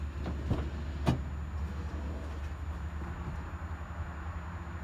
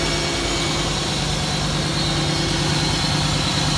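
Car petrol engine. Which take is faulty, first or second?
first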